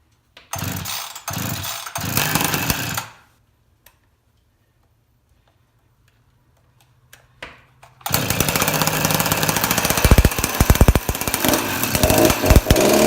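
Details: Husqvarna 353 chainsaw after gas line and chain drive work, carburetor slightly adjusted: a few pulls give short sputtering bursts, then it catches and runs with a steady busy buzz; running properly again.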